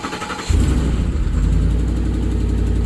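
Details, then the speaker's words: Ford F-150 4.6 V8 with many OBD2 codes and timing issues, cold start: it cranks and catches into a deep, slightly puffing cold idle, with popping from a small exhaust leak on one side and no loud timing-chain rattle. "when you hear when it first starts you'll hear a popping sound it's got a little bit of an exhaust leak on this side so kind of ignore that"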